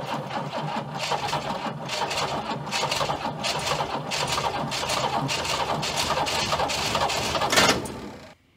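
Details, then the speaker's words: Abandoned Chrysler Valiant VG, not run since 1997; first start attempt after fitting distributor (slant-six dizzy), battery, coil and leads, auxiliary fuel tank. Steady rhythmic starter churn with brief catches that never take, then cuts out; won't start, timing/fuel suspected. "she wants to I need you nice if the desi was accessible while I was cranking it because I could sort of jiggle it as I was going but um we'll get there"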